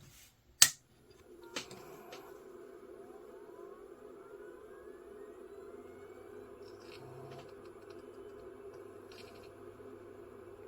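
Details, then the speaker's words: Ineo C3538 USB 3.1 Type-C dual-bay 3.5" SATA RAID enclosure after a no-power repair, powered from its adapter: click at power-on, then a whine climbs smoothly for about three seconds and settles into a steady hum; the drive spins up normally. "to me sounds like a spinning drive."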